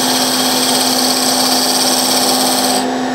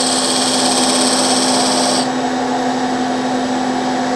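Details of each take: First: Woodturning tool cutting beads on a segmented hard maple box: even, steady hiss with a constant tone and no chatter. A clean, normal cut. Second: when those beads go from Flat Top to round you hear that sound I'm going to push it a little harder this time so you can maybe hear that vibration sound and feel it in the tool also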